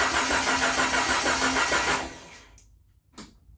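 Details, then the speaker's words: Jeep YJ Wrangler after four years sitting, mid-restoration with no distributor installed: starter cranks quickly and evenly, about three turns a second for two seconds; normal cranking. "but it [ __ ] cranked that's awesome I'm super happy about that"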